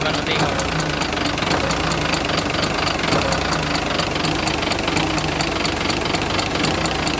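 Rapid light ticking, about four a second, rides over a busy idle; sounds like valvetrain tick, probably a rocker arm, though that's unconfirmed.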